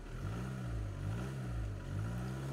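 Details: Skoda Laura 2.0 TDI diesel after fixing low pickup and MIL caused by injectors and the common rail. Smooth, even rev rises and falls cleanly through the blips with no misfire, knock or stumble; no error codes: healthy.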